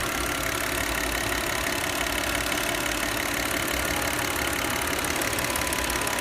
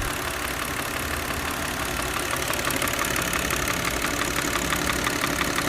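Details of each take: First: Old Audi C6 2.4 V6 at idle after the intake-manifold vacuum hose is disconnected: even, steady idle with smooth hum and airy hiss, the rhythmic knocking from the known intake manifold fault gone; normal idle. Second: Older Audi C6 2.4 petrol idling with a steady, rhythmic "dang-dang" knock about three times a second from the intake manifold, a known common fault; it stops when the vacuum line is disconnected and returns when reconnected.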